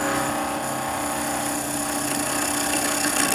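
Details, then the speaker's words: Skew chisel planing cut on the lathe: steady cutting hiss with fast uneven ticking, 3–4 per second, as the chisel wobbles without bevel support, leaving a rough finish; fix by bringing the heel of the bevel in. "hear a ticking noise like that and you can actually feel it in the chisel the chisels wobbling like this trying to find bevel support behind it it generally leaves a fairly rough sort of finish"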